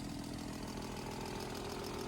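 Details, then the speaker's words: 1995 BMW M3 (E36), very cold first start after over a year unused: steady idle with a light chattery tick over the exhaust; owner suspects an exhaust leak, possibly also engine chatter; no misfire. "I'm not surprised with a little bit of engine chatter because, again, this thing hasn't ran in, as far as I know, over a year. Almost sounds more like an exhaust leak, actually."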